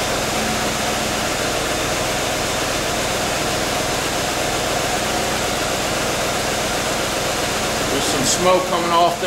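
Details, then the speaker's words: C4 Corvette LT1 V8 just started after intake manifold gasket replacement: even, settled idle with smooth hiss, no ticking, sucking or stumbling; normal idle. "all right let's crank it beautiful fired right up"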